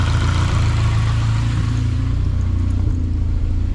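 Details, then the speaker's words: Junkyard-rebuilt Honda K24A2 engine swapped into a CRX, first start: smooth, even low rumble at steady idle around 900 rpm, no knocks or ticks, very quiet until throttled; exhaust leaking where the O2 sensor was removed; normal idle. "yes sir look at that now honey yo this thing sounds good dude it's so quiet and tell you until you throttle it watch it's really loud"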